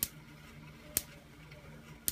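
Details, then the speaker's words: Van de Graaff generator, discharge wand moved slightly farther from dome: sharp crackling snaps about once a second over low steady motor hum; small arc visible, charge building on dome, rollers working well. "Okay, now we're starting to see a little bit of an arc, and the charge is building up on the dome and is working well through the rollers."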